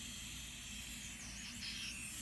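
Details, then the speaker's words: Turbo diverter valve bench-tested at 20 psi after adjustment, fully open to fully shut, made no difference: steady thin high hiss of air escaping past the valve, bad leak, before raising pressure to 30. "leaking pretty bad out through here. Bump it up to 30."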